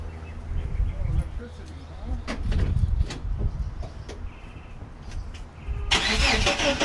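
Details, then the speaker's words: 1989 Chevrolet S10 Blazer that won't start after everything was reconnected: uneven low chugging as the starter turns the engine for several seconds, never catching; cause unknown, owner wonders about cables or electrical. "Here we go again. Not going to start, huh?"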